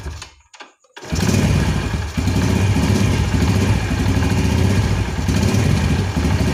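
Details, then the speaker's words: Carbureted motorcycle after pilot jet returned from K35 to K38 and idle/air screw set: fires at once and holds steady low thumping idle, no stumble or popping that was present earlier on throttle opening; carburetor running clean. "Nah sekarang akan saya coba Nyalakan Kang Bro coba dengarkan untuk suara mesinnya dan bedakan ya Ee di awal video saat akan diputar hand grip itu terjadi ee berbet dan sekarang kita coba lihat apakah masih sama atau sudah ada"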